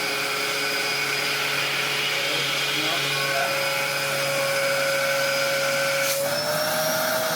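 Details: Refurbished Dyson upright from a free job lot, with new filter and belt: steady, high, even motor whine with no surging or rattles. Suction gauge reads 105 versus 100 before refurbishment; normal running.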